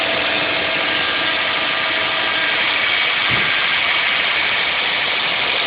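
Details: 2006 Saab 9-2X Aero, cold start first thing in the morning, no air conditioning on; steady fast idle with an even hum and no ticking, knocking or squeal, still warming up toward normal idle, a normal cold idle.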